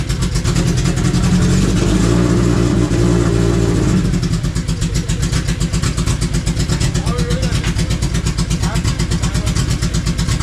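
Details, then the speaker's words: Honda Civic wagon running again on pump gas after fuel work: loud rough revving for four seconds, then steady even idle with a regular low pulse and no knocks or misses; normal idle, map still being tuned. "But the car is alive again on pump gas, guys."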